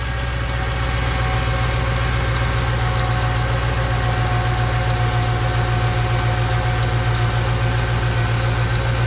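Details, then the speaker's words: Mercedes E55 AMG supercharged M113K V8 idling after splitting the cooling system, first run after sitting about three weeks: light, quick lifter tapping on the low engine rumble, attributed to sitting. "so the lifters are kind of tapping if you guys can hear them it's because it hasn't ran in a while so it's been like three weeks"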